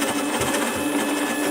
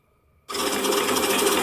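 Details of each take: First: Prototype 3D-printed RC robot drive, motor driving wheel hub: steady geared motor whine with faint uneven flutter; motor wobbly on its bracket, another bracket needed. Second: 3D-printed RC robot drive prototype with a small motor, single gear pair and a printed band steadying the motor bracket. Spins up to a steady, even whir with no knocking or grinding; runs smoothly, maybe faster than needed.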